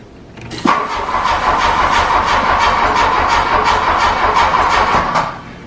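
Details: 1985 VW Scirocco Mk2 with CIS fuel injection, first start attempt in about 17 years on a new battery: starter cranks steadily about three turns a second with no firing; cranks but won't start, fuel pump not heard, bad fuel hose found.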